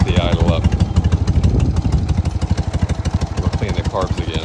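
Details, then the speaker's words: BMW R60/2 boxer twin after motor swap and top-end rebuild, about 5 miles since rebuild, just started: slow lumpy chuffing about three beats a second, barely hanging on; idle too low, needs raising. "should start first kick should start first kick should start first should start First Care got idling very low so should probably bump"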